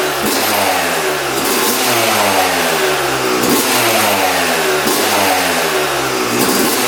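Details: 2006 Yamaha YZ250 two-stroke after full engine rebuild, carb leak fixed, before first ride: sharp, crisp blips every second or so, pitch jumping up and falling back quickly, no bogging or misfire; normal two-stroke revving.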